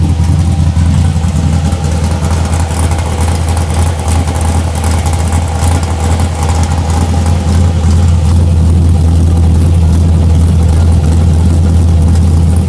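Deep, loud V8 idle with an uneven, lumpy beat of roughly three pulses a second that never settles; rough idle, cause unknown.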